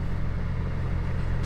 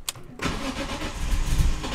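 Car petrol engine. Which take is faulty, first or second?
second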